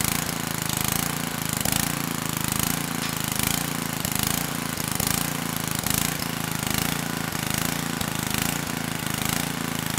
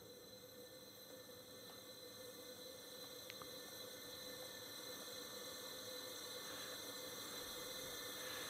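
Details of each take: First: 1999 Generac 5000 W generator (10 hp Tecumseh HM100 flathead, previously lost compression) on its test run after carb work: slow, steady single-cylinder chug with a gentle pulse about once a second, no knocks or misses; engine running cleanly. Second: 1999 Generac 5000 W generator, Tecumseh HM100 10 hp flathead that lost compression and won't run; leak-down test shows 100% leakage, steady hard hiss of air escaping at top dead centre: big exhaust valve leak, head to come off to fix valve.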